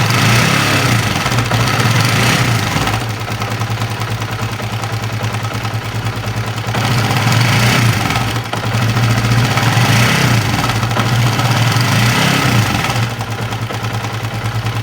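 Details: Honda CB150R with rough-running complaint: uneven rattly clatter over a lumpy single-cylinder idle, seemingly from the upper left of the engine; cause not yet determined.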